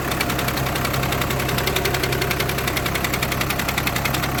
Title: #diagnosis#strange sound#clutch#plate clutch#plate bearing#clutch plate vibration#vw 2008-2014#dsg